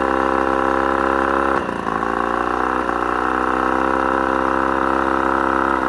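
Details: Mercury 35hp two-stroke outboard at mid throttle: steady buzzing run that briefly stumbles near two seconds then recovers, almost cutting out; cause not found. Intermittent misfire.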